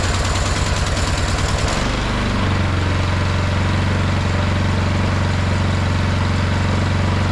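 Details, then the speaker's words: 22-inch MTD Yard Machine snowblower, 179 cc engine, after drilling the carb jet to cure surging: a few uneven firing pulses, then a smooth, steady low drone with no hunting or surging. "It seems to run pretty good now that we've done that that mod to the jet and drilled that jet out to smooth out the surging."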